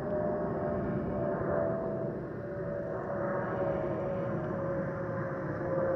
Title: 💛🖤💛Spirit Airlines Airbus A320-232 N605NK NK1560 ATL-DTW (FOPP whistling sound)💛🖤💛